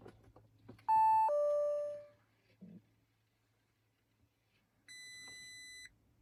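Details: Audi A6 C7.5 with multiple error messages: a two-tone chime, then a steady high beep of about a second in a quiet cabin; warning alerts while the car refuses to start.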